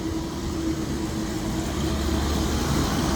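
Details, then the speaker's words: Refrigeration system with several compressors, started after a drying period with the condenser fan motors on: steady low drone with a faint even hum and no knocks or rattles. It runs normally, with cold suction and hot discharge. "And yes, we are running. Cold suction, hot discharge."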